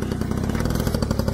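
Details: Honda scooter moped with six-volt electrics, restarted on two-year-old fuel after storage, fires on third kick: rapid, even single-cylinder putter with steady beat and no misses, running smoothly after sitting.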